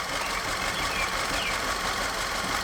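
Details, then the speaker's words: Audi direct-injected engine after timing and cam work, misfire code on cylinder 4: ragged hissy uneven idle that smooths slightly when revved; cylinder 4 misfire, later found ring damage. "especially since i lapped them in and they looked okay when i did that but it's definitely missing"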